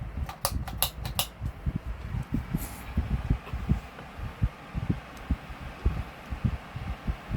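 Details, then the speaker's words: 2006-07 Lasko 16in wall fan model 3016, freed seized bearings, blade hub misaligned to shaft, on medium speed: heavy low thumps about three per second under the whoosh; fan blade imbalance vibration. "okay that is insanity ous though IM I cannot imagine having this on the wall that is horrible that is insanely horrible I don't know what with the balance on this one"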